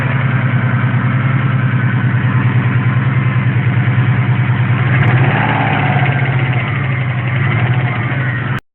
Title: Стук мотора